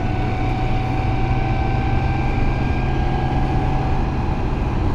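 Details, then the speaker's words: Toyota Supra with newly installed helical-cut R154 dogbox manual transmission, while driving: steady mid-pitched gear whine over low driving rumble, mild transmission whine judged acceptable. "Now one thing, because these are helical cut, I was hoping it maybe be a little bit quieter. You can hear a little bit of uh transmission whine, gear whine. We can live with that, you know."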